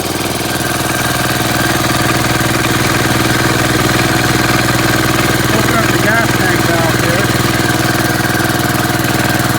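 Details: Gravely Commercial 12 running after mouse nest removal, about 40°F out; steady, even beat at about two hundred pulses a minute with no knocking or misfire. It sounded knocking at first start, likely flooded from carb cleaner, then ran cleanly.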